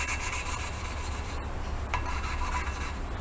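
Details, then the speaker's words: Toyota 1NZ-FE cylinder head being built for turbo, hand lapping a valve with compound: coarse gritty rasp in steady back-and-forth rhythm as compound cuts seat marks; rough gritty seat early in lapping. "you can hear it's really rough and gritty that's part compound and part any little marks that are in there"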